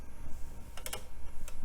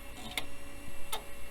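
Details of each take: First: 48-speed CD drive in an old Compaq system, a little sticky and dusty: a few clicks, then a steady whir climbing in pitch as the disc spins up to full speed; a healthy high-speed drive. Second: Compaq system with AMD K6-2 CPU, hard drive during boot: two sharp, isolated clicks about three quarters of a second apart over a quiet hum; heads appear to stick and unstick, hard drive head stiction clicking.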